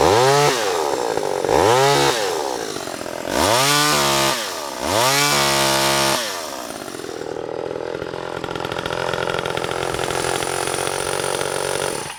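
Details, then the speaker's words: Vintage Homelite Super EZ Automatic chainsaw in presentation condition, original bar, not cutting: four sharp throttle blips rise and fall cleanly, then a steady even idle without stumbling; healthy two-stroke. "However, let's start it up and hear it run."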